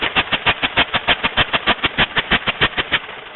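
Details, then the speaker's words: 1908/1909 Chase truck engine with magneto ignition, priming cups opened while running: slow chuffs about three a second that weaken and fade as open cups try to kill the motor; stumbling with priming cups open. "They have to be closed. You can see if I open them, they'll try and kill the"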